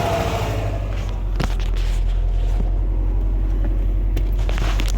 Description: 2016 sti 776 miles is this normal sti motor noiae or something i shoyld have subaru look at